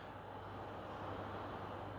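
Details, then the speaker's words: PS5 Pro (CFI 70) fitted with a Foxconn fan taken from a PS5 Slim, in game; the Pro's different duty cycles spin it much faster than in the Slim, giving a steady loud airy whoosh over a low hum, too loud for the Pro. "and it's spinning at much higher RPMs than it would spin in the PS5 slim because the PS5 pro has other Duty Cycles and now we're in the game and you can hear it"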